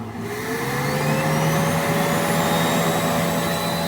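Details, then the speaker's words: Replacement turbo for a Mitsubishi 4N14 diesel, tested on a petrol Adventure at up to 3,000 rpm: a steady rising whistle settling into a smooth even hiss, no grinding or scraping; quiet and healthy, unlike the failed turbo. "Hindi siya ganun kaingay. Samantalang doon sa isang turbo kanina, yan, at 2,000, 3,000 RPM, umiingay na siya."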